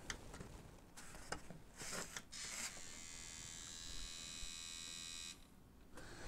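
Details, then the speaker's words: Sony MDS-E10 MiniDisc recorder with a disc stuck, powered up and trying to eject: steady high motor whine for a couple of seconds with no mechanism clunks. Loading motor spinning freely from a broken belt. "I'm going to power it up again and we're just going to see what happens when this thing tries to eject it really sounds like the belt's just"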